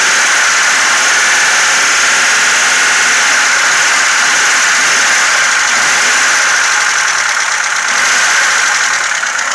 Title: ваз 2106 стук клапанов